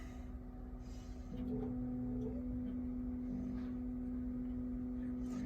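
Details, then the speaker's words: Navien NPE-2408 tankless water heater with no hot water, after cleaning the totally clogged air intake screen: quiet start, fan comes up to a steady, even hum within a second and holds smooth; normal startup. "plug it in it's going through its startup"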